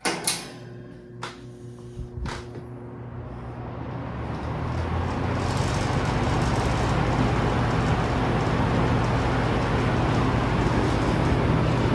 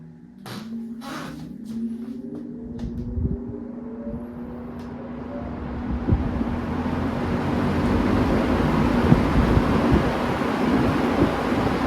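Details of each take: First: Vintage Toastmaster push-button roller fan on high, standing on an uneven old floor: a steady low hum with a light, even rattle once up to speed. Suspected to come from how it sits on the floor and a loose part; rattle persists slightly after tightening. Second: Vintage Manning Bowman fan, not run in five or six years and with a questionable speed switch: the motor spins up smoothly with a steady hum rising in pitch into an even rush of air. Quiet, healthy startup.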